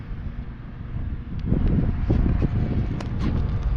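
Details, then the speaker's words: Cub Cadet two-stage snowblower that won't start, with congealed ethanol fuel and an enclosed carburetor; the owner fitted a new plug and fresh gas. Irregular low chugging from repeated cranking never catches. The plug stays dry, a fuel-flow issue, possibly water in the carburetor. "If the spark plug is dry, that means we're having a fuel flow issue. I'm going to crank this a few more times and then we'll see if that plug is wet."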